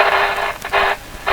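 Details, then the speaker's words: 70-year-old all-original RCA A-32 Globetrotter shortwave radio, tuning the bands: hissy static with a steady mid-pitched musical tone running through it; stray tone, source not traced (some static came from the microphone). "kind of tone in there get that tone get here it here back here to quietly like a musical tone"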